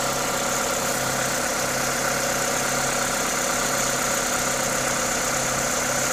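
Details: Toyota 2ZZ-GE engine at normal idle: smooth, even low hum with strong hiss from the induction kit over it, no ticking or knocking; healthy idle.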